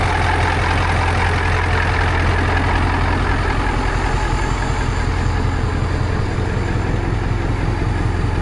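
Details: 1982 Marmon with CAT 3408 diesel, first start after an electrical smoke scare from batteries left connected: deep steady idle, no miss, knock or rattle; only about 13 V charging, owner suspects very low batteries or weak alternator.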